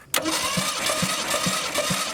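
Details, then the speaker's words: Ford Maverick sat 26 years, cranking: even starter churn with compression pulses about twice a second, no firing; ignition points not opening, gap set wrong, no spark at points; points to be regapped with feeler gauges. "They're not even opening, so the gap is set wrong, and I didn't see a single bit of spark come out of that."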